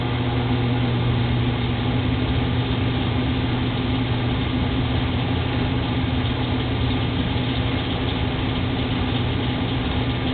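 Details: 1985 Rheem 100,000 BTU gas furnace: steady burner rumble broken by one sharp boom as gas lights late, then a smaller thump; delayed ignition caused by clogged orifices, fixed by cleaning.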